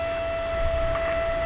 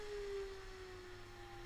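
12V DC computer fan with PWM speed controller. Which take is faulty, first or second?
second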